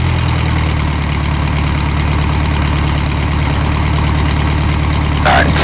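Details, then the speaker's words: Revmaster air-cooled VW flat-four in a Sonex aircraft, brought back from about 1800 RPM while warming up: steady, even low idle with a constant beat and no misses or knocks; idling healthily. "Yeah, we're still running at 1800 RPM."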